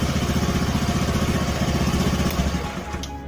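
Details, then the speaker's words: Honda Spacy/Beat carburettor scooter after carburettor work and vacuum diaphragm/slide adjustment; single-cylinder putters at steady even beat, idle stable without stumbling or surging, slide working normally with throttle, normal idle. "Oke kita dengarkan gas e udah stabil ya guys ya Oke skep sudahudah mulai bekerja ya bekerja normal sesuai dengan e bukaan yang kita gas ya guys ya"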